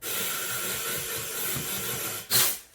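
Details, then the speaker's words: Jaguar XK8 radiator being modified to fit an Aston Martin DB7, after drilling with the airline on: steady sharp hiss of escaping air then a louder burst; air leak hiss from a suspected break or hole in the radiator. "drilled the first one started doing the second one and I noticed when I when the airline was on I could hear it in here"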